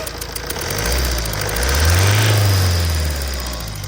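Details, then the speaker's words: A Tata diesel revs and settles with a sharp ticking knock over the clatter from a leaking cylinder 1 injector sealing washer, with hard carbon deposits around it. This is before repair; the fix was cleaning and replacing the washer. "มีเสียงรั่วหัวฉีดนะฮ่ะมาติดเครื่องดูนะฮะแหวนรองหัวฉีดรั่วนะฮะ"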